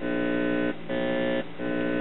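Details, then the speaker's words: Recapped 1963 Westinghouse console three-tube amplifier (50C5 x2, 12AX7, solid-state rectifier) with salvaged speakers, volume nearly full: steady low buzz with brief dips; amplifier passes the buzz test and is fixed. "okay here we are back together Teebs lit up see this passes the buzz test"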